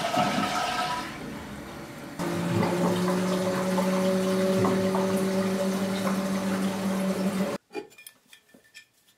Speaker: in this case it's making a humming noise that can be heard throughout the home